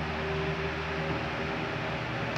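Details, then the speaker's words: 40 cm fan after repair on 220 V mains, run at speeds three, two and one, with a new run capacitor fitted. An even, smooth hum with no rubbing or ticking, so the fan runs normally. "Vamos ligar agora direto na rede 220 para vocês verem aí velocidade três velocidade dois e velocidade um"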